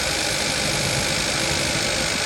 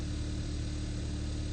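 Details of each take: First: 2015 Kia Forte 1.6 GDI with multiple misfire codes, rough uneven idle with faint irregular stumble; engine tune doesn't change with coil 3 connector unplugged, indicating a failed cylinder 3 ignition coil. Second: 2015 Kia Forte 1.6 GDI, previously misfiring with multiple misfire codes, after fix and codes erased: steady, even low idle hum with no stumbles or jerking, idling smoothly on all cylinders.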